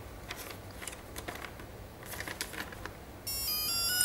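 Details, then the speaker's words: Speed controller (ESC) on receiver throttle channel powered by 3-cell LiPo, throttle stick held full up at power-on: a few light clicks, then steady multi-pitched tone; ESC entering programming mode before menu tones. "yes it's got in the programming mode the first one is break two short tones is battery type three short turns is cutoff mode four short turns is cut off threshold"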